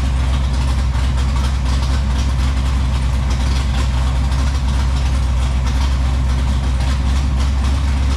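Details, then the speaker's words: Dodge Challenger V8 running again after a long time, with a brand-new alternator fitted and electrical gremlins cleared: deep, steady idle, an even unbroken rumble with no misses, knocks or rattles, oil pressure coming up; running smoothly. "can you believe that all I did was just short it over and fire it up that is unbelievable"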